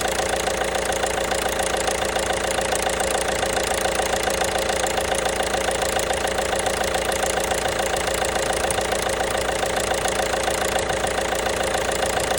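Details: 1.5 BlueHDi (DV5RC) diesel at steady idle with a crisp, evenly spaced knock around three and a half per second; engine knock of unknown cause.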